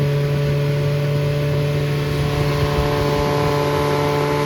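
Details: Freshly rebuilt Triumph Spitfire 1300 (1296cc) engine from a 1972 Spitfire, 270 cam, head shaved, expected about 8.5:1, balanced: strong steady drone, even pitch, no knocks or misses; runs well, good oil pressure, compression 137–140 all cylinders.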